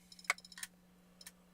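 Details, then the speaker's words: Failing laptop hard drive: quiet, uneven sharp clicks in clusters as the heads keep retrying and failing to read; the drive is being replaced with a new HDD. "So you hear that? That's the internal mechanism trying to read the hard drive, and it's failing."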